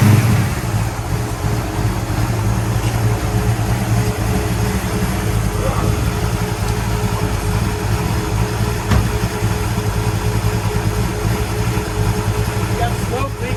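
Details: 1966 Pontiac GTO convertible V8 after repair of white smoke from water getting into a cylinder: deep steady rumble, even firing, no misses, stumbles or sputter; runs cleanly, slight blue smoke put down to exhaust contamination.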